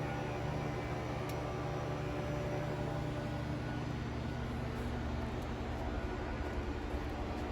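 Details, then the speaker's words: 2021 Wildwood travel trailer, electric awning extending via top of the wall switch; steady low motor drone with an even buzz and no grinding, clicks or stalls. Normal awning extension. "So for your awning, we're just going to hit the top of this switch here, and that awning will make its way out."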